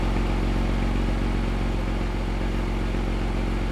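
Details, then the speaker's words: Porsche Boxster flat-six, running after fault codes cleared, reader showing no codes: smooth, even idle with steady low burble, no ticks, knocks, misses or smoke; healthy-sounding engine. "just sounds absolutely lovely lovely no smoke no alien sounds it just sounds wonderful"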